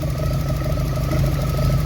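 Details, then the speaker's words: Track-prepped Mk2 with a 16v ITB engine at steady idle: a faint, uneven pulsing tick rides over the low rumble. Owner hears an unexplained noise and doesn't know why it's doing that. Source not identified. "just a quick sound check I don't know why this is doing that but can you hear"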